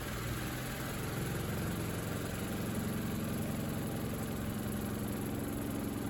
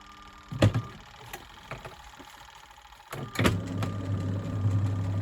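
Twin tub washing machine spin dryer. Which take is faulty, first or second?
second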